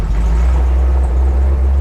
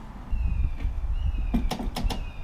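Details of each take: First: Chevy 350 V8 with a two-barrel Ford Motorcraft carburetor in a CJ-7 Jeep, warmed up and under way: deep, steady, even rumble with no knocks or misses; engine running well. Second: Chevy 350 in a CJ-7 Jeep with a two-barrel Ford Motorcraft carburetor: cranks, catches on first try and runs about six seconds on fuel poured into the carb, then dies; fuel pump not yet feeding the carburetor.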